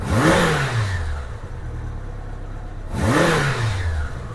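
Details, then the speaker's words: 1987 Honda GL1200 Goldwing after carb synchronization, idling about 900–1,000 rpm: two clean throttle blips rise smoothly and drop straight back to steady idle, no popping or hesitation; normal throttle response. "It returns back to idle the way it's supposed to. Yeah, that sounds really good."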